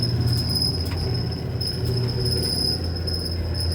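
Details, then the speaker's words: Older Whirlpool Cabrio dryer running: a steady piercing squeal, described as shaky and squealy, over the low tumbling rumble, from a worn idler pulley (W10547292) bearing. "It sounds like like like shaky and squealy."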